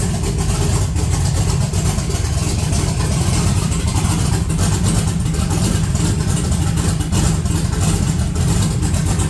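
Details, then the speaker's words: 1982 Chevrolet S10, cold engine with points ignition, long sat: deep, uneven idle with raised rpm and shaky, lumpy beat, vibrating more than normal; rough idle, vacuum leak or misfire suspected, later judged a misfire, possibly a bad wire. "You got the vacuum leak. Definitely running rougher. And the RPMs are up too."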